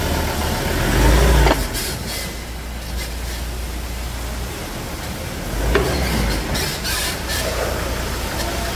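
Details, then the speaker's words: Ford Ranger 3.2 with only 42,000 km, engine running low while the front suspension gives harsh creaks and squeaks; diagnosis finds a worn, burst shock absorber bushing. "Que barulho sinistro na suspensão dessa Ranger Pois é vamos fazer agora um diagnóstico aqui vamos ver da onde tá vindo esse barulho"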